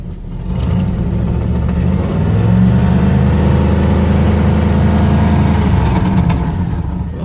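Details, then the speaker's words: 1959 Cadillac Sedan DeVille V8 cold start at about 20 degrees: rumbles to life and revs with a loose puffing edge from an exhaust leak; car needs mechanical work. "start her up probably hear that exhaust leak"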